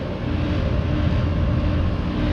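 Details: 2013 Trane XB13 air conditioner condenser (cooling-only, not a heat pump), about 13 years old, spring startup at 78°F, not yet cleaned: steady low fan-and-compressor rumble, no rattles, clicks or squeals; very quiet, dripping cold, normal running.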